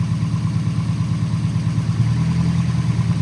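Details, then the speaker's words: 1989 Nissan 240SX with injectors marked ID 1050 at 60% duty: uneven, stumbling misfiring idle; unplugging one injector causes no change, so owner suspects that injector is bad. Compression test passed. "All right. It's like misfiring a little bit. And notice that this injector, if I unplug it, see there's no change."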